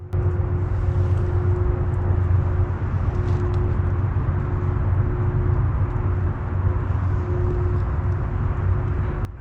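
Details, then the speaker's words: Mysterious outdoor hum, begun about two weeks earlier, coming from a wooded area, recorded on a GoPro, louder at night: steady low drone with a faint constant tone above it, unchanging; source unclear, possibly a distant fan unit or generator. "it's a lot louder at night time when all the commotion and traffic and birds and whatnot all the activity going on when it's silent it's actually quite loud it's kind of annoying"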